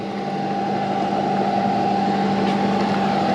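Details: Cheap CNC knee mill spindle running: clean, steady hum at constant pitch with no rumble, knock or grinding; bearings sound good.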